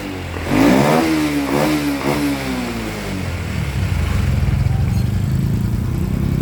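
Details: 2014 Honda Wave110i after fuel injector replacement (valves normal): single-cylinder revs up cleanly in a few crisp blips, then settles to an even idle, pulling freely with no bogging.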